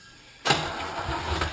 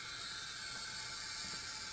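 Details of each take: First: notice how lumpy it sounds because we're coming up against compression Second: Leak-down test: steady quiet hiss of air heard at the dipstick hole, also audible at oil filler, indicating worn piston rings or cylinder walls, air escaping past worn piston rings.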